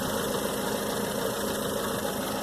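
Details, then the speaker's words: 1997 Dodge Dakota 2.5 L, 5-speed manual, idling once warm, before Reslone treatment: light quick steady tapping on the engine note; owner says heat brings on the tap and suspects a clogged lifter. "Something gets clogged in the hole, and it clogs it up towards where it causes a tap on the engine, and this is an easy way to help you."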